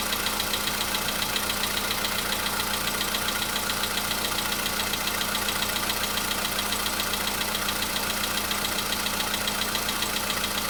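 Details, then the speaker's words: VW Polo Sedan (CFNA engine) cold start a day after oil change and flush with flushing oil: light, even ticking about two beats a second over steady cold idle, knock absent yesterday, now slight; source not pinned down. "Чуть-чуть есть, совсем мало. Нет, есть, конечно. Так вот есть, постукивает."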